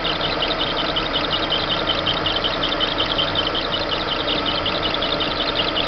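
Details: Monza petrol engine at idle: an irritating high, chirpy ticking at roughly eighty per minute rides over the engine from the engine belt area; exact cause not confirmed.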